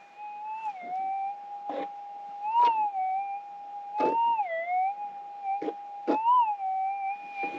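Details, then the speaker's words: Minelab GPX 6000 in Auto 1 with the threshold turned on manually: steady mid-pitch threshold hum with a rising warble each time the coil passes the target, plus soft handling thumps; a clear target signal. "much better target in my opinion i prefer run with a threshold on at all times even up here in auto where it shuts off automatically to turn it on yourself okay here it is an auto one with threshold"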